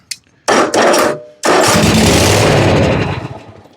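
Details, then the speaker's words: John Deere zero-turn mower with a bad switch: engine catches with a burst, sputters, runs briefly, then fades out; starts then stalls. "okay so I just I got one in stock like I said I just went out there plugged it in and it would start then it"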